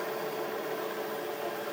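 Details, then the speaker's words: Bridgeport milling machine spindle on a newly installed VFD, speed turned all the way down: smooth, even mid-pitched motor hum, no knocks or grinding; runs clean at low speed. "you can see we're going quite a bit slower there crank it back up then stop it"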